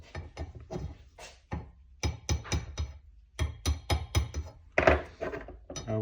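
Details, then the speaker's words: Subaru Levorg VM4 brake caliper bracket, about 104–105 thousand km, shaken by hand: loose, sharp metallic clacks in quick bursts. The worn factory guide pin knocks in its bracket; a machined repair pin cuts it to minimal. "штук суппортов пробег около 104-105 ся вот как громыхает Заводская направляющая"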